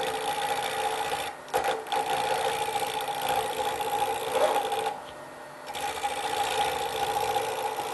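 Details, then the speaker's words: Wood lathe turning a square pen blank with a carbide tool: steady motor hum under rough, irregular chattering scrape as the tool knocks off the corners; interrupted cut on out-of-round stock. "You just put it on, keep a good lock on it, and just go straight across your tool rest with the tool itself. So I'm knocking off a few of the edges now."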